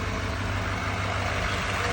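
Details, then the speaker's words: 2017-2019 Chevy L5P Duramax 6.6 diesel the day after No. 4 injector pigtail replacement, remote-started in colder weather, starting right away: steady, even low idle rumble with no knocks or misses, healthy, no check engine light. "It's a little cold uh compared to when it was yesterday. So, but it turned right on right away anyway."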